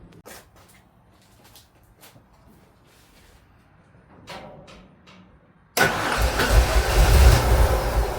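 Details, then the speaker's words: Ford Econoline that stalls at idle but drives fine, no check engine light, good fuel pressure: after quiet clicks it starts into a deep, loping idle that surges and sags toward stalling; running rich, MAP sensor suspected. "It's trying to idle. It's going to eventually stall out. And you can smell the rich condition, too."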